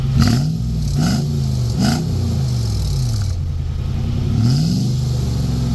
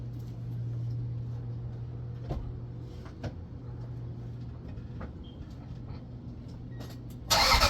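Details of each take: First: Truck with the muffler removed, before a muffler patch repair: loud, raw, booming exhaust that blats harder on each throttle blip. Open pipe with the muffler missing. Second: Truck exhaust after a temporary muffler patch made from an old license plate, phone at the tailpipe: low steady idle with a soft, muffled note and no rasp or leaks. Now sounds as it should.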